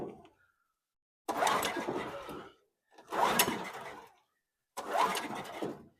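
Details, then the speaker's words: Titan industrial generator, about 20 years old, unrun six to eight months, pull-cord cranked after cleaning: three rough second-long cranks, never catches; owner suspects no fuel reaching it; carburetor next; cranks but will not start. "Try with the choke on. Ain't getting no gas. >> Ain't getting no gas in it."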